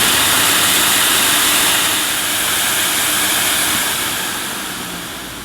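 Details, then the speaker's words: 1980s Hoover Sensotronic System 1 S3126 vacuum, single-speed 900 W motor, suction gauge at cleaner end reading 40 inches of water with poor seal: smooth even motor roar under strong airy rush easing slightly at end; running normally. "now it was registering on 40 inches of water but there was a lot of suction loss because it's not quite can't get quite a seal here"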